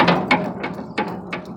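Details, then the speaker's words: Sharp metallic clunks about every third of a second as a stopped exhaust fan drive shaft is rocked by hand; unlubricated bearing housing completely worn, excessive shaft play, bearing and shaft likely need replacing. "how much play I have the actual housing inside of the bearing is just completely worn out now so the bearing and the shaft are probably gonna have to get replaced"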